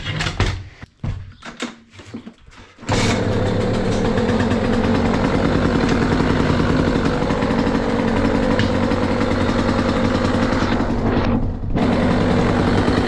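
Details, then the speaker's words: KTM SX 85 two-stroke after carburetor cleaning, new correct spark plug and fresh fuel; 172 hours, piston reportedly recently replaced: a few uneven start-up sounds, then a crisp steady beat with light throttle, now revving up immediately. Normal idle and revving. "Nie no wkręca się od razu dobra Myślę że powinno być git bo jest duża różnica"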